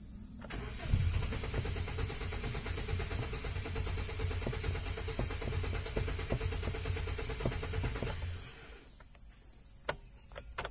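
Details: 2017 Hyundai Accent manual, just back with ECU reworked over an ignition-coil problem, fuel pump possibly replaced; starter cranks steadily about eight seconds with even churning rhythm but engine never catches; extended cranking, no start.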